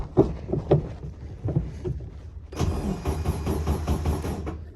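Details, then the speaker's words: Barn-find custom Poraga VW Beetle convertible, first crank after long storage with fuel and volts reading. The starter turns it over with even, steady chugging and no grinding or clicking; it cranks normally but is not firing yet. "oh yeah it's cranking it's good"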